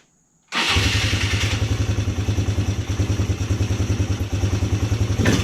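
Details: 2010 Polaris Sportsman 300 ATV, said to need full maintenance: it catches straight away and settles into an even, steady single-cylinder thump at about three beats a second; starts and idles normally.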